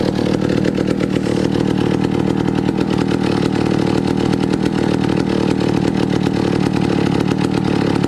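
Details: 1962 McCulloch 1-46 chainsaw, revived after lacking its carburetor and other parts: loud, rapid two-stroke rattle keeps running steadily without dying or sputtering; runs strong.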